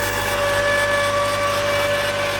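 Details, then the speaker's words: 1999 Mazda Miata, 190k miles, cold start after nights in low 20s °F: steady high whir with fixed whistle-like tone over quiet idle; source unknown, always present, goes away once warm; cold start whirring noise. "noise it has always made that noise and it goes away once it's warmed up I don't know what it is and I don't care"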